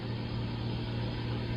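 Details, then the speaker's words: Frigidaire GLRT183TDWE fridge with a warm fridge but a cold freezer: the compressor runs at the back with a steady low hum and even drone, no knocks or rattles; compressor working normally. "okay i can see right there that's on you can hear the compressor on he's running"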